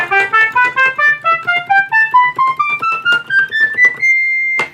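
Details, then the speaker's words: Rare one-year Moog Minitmoog synthesizer after filter calibration, playing presets: clean stepped scale climbing evenly with each pitch landing true; oscillators now track properly across the keyboard. "You hear it tracks pretty well across the keyboard now."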